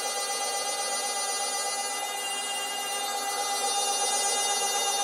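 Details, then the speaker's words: Stepper motor in a step-by-stepper circuit running around 813 Hz: steady high-pitched electrical whine with tight tones and fast pulsing, coming from the motor, not the transistor; motor squealing under drive, cause unclear. "very easy to start now it's really humming"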